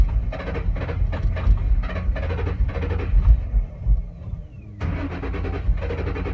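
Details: 2007 Ford Mustang Shelby GT-H, intermittent hard start, usually on cold mornings or nights, cause unknown. Starter churns in slow, even pulses about four seconds, pauses, then cranks again without a clean catch: hard start, extended cranking.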